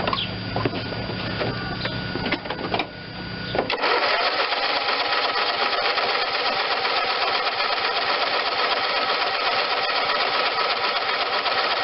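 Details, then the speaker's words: John Deere LT160 automatic lawn tractor, Kohler Command 16hp engine, first start since acquired; engine jumps straight to constant screaming high speed without idling because the carburetor governor rod was sticky, stuck at full throttle. "okay it started but i think the uh carburetor lever might be stuck on full bore so let me see what's going on with that"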